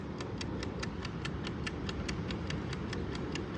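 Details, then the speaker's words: BN-LINK countdown digital in-wall timer switch for shed lights, about three weeks old: steady quick mechanical ticking at about four and a half per second after re-engaging; it intermittently stops ticking at a certain point, leaving the lights on. "you may or may not be able to hear it's ticking now but it just stops it doesn't work anymore"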